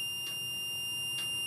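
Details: MPJA 35716 MP battery low-voltage alarm module (9-12V batteries, buzzer and LED) after its set point was set to 11.6 V. A steady, shrill buzzer with two brief pulses sounds because the voltage is below the set point: low-voltage alarm.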